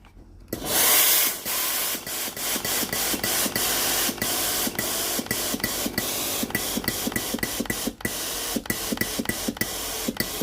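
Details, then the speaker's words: Philips PSG 7014 steam iron after control board replacement for no-power fault; long hiss then quick evenly spaced steam puffs with steady water pump rhythm; normal steam output. "Testați sistemul. Apăsați butonul de alimentare cu apă. Aburul iese normal."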